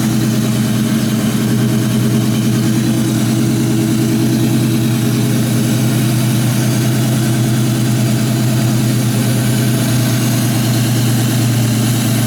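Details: 2004 Mustang GT V8 just fitted with an Airaid intake; loud, steady deep even rumble at idle with no ticks, misses or surging, runs cleanly.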